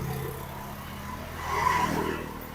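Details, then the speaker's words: Fuel-injected Honda Vario 125 scooter at a cold start after adjusting loose valves. Revs swell high for a moment, then ease down and settle; a normal cold-start fast idle, showing the idle air sensor is working. "nah tinggi Nah baru dia turun Oh gitu ulangi ya biar lebih jelas nah tinggi dulu baru turun"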